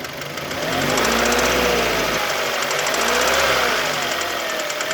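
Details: Kia Cee'd engine at idle when warm: fast, light, even metallic tapping; no knock when cold, only after warming up; valves adjusted and within spec, so owner rules out valves, cause unknown.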